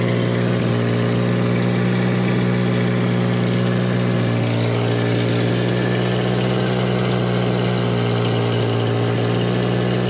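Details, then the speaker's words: Volvo 240 warming up: a steady, even hum held at elevated speed, easing down only about 20 rpm at a time; idle stays chronically high. Exhaust leak and blown top cam seal oil leak also present; cause not confirmed. "All right, so we've got consistently, chronically high idle, and we have a very blown out top cam seal, which the good news is it's the top seal."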